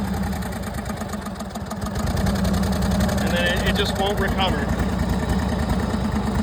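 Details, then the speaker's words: 1999 Craftsman lawn tractor, 20 hp V-twin, full throttle with blades engaged: runs unevenly then labours and sags under load, never recovering; bogging, owner thinks not governor, cause unconfirmed. "Let's engage the blades. Yeah. See? And now, now it's going to run like crap. That's full throttle."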